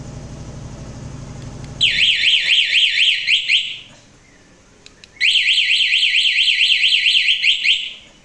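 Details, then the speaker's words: Suzuki Address scooter with newly installed anti-theft alarm, key switched off: shrill warbling siren sweeping up and down, two bursts about two seconds each with a pause; alarm working as fitted. "nyalain lagi guys sekali lagi guys nyala ya guys ya kunci kontak posisinya off tuh tapi nyala ya ini alarm buante yang tipe seperti ini"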